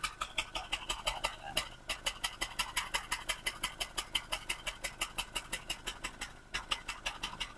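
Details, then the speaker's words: Honda Jazz Type S idling with a shaky engine, checked from the rear: sharp ticking at about three per second with the beat dropping out twice, a rough misfire; suspected coil socket or oil-soaked coil, later found to be a valve cover oil leak. "suaranya enggak lurus ya kayak gitu ya. Ya, nanti kita lanjut kita deteksi dulu dulu mungkin dari soket koil atau dari koil yang basah terendam oli itu bisa ya kita bongkar guys."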